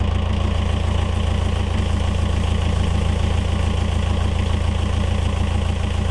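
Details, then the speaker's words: Yanmar 4JH4E marine diesel in a sailboat, first run after 10+ years sitting since 2006: steady, even low idle thrum about three and a half beats a second, no knocks or misses; oil pressure good, healthy idle. "It actually started. It sounds good. Oil pressure is good."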